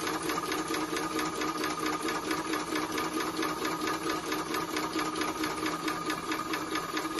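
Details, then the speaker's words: Maxitrak 5-inch Alice live-steam locomotive, feed pump run on air with bypass opened and closed: even, regular clicking around two a second with a light steady hum, slight note change as pump delivers; pump working normally. "can hear a slight note change when you open the bypass or close it that's actually the pump pumping now"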